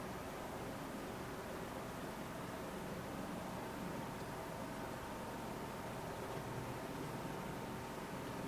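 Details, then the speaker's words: Arctic Freezer 13 CPU cooler in a Hackintosh built into an old Apple G5 Mac Pro case, under full load while rendering video: soft, even airy hiss with a faint steady tone, no rattle or surging; runs silently. "we want with there is no difference whatsoever it just runs silently"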